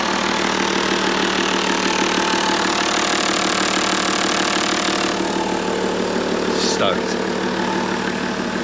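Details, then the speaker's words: 2006 Toyota Land Cruiser GXL 100 series automatic, overheated, about 200 on the clock, found with no oil in the engine: it starts and settles into a steady, even, smooth idle with no knocks or misses. "oh this engine had no oil in it oh well it starts it runs I'm happy"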